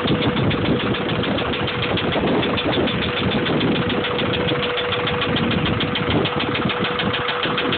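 Steady idle with a sharp, regular light tapping riding on top, evenly spaced with the engine's turning; a knock from the bottom end. Cause suspected, not confirmed.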